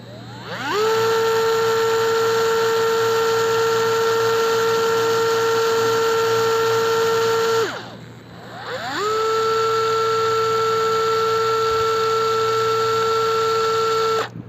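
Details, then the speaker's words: DeWalt DCF682N1 gyroscopic cordless screwdriver free running: spins up to a clean, steady whine, very smooth at low rpm, holds evenly, winds down and restarts the same; healthy. "Oh sangat halus ya karena mungkin rpm nya rendah lalu kita akan uji berapa RPM"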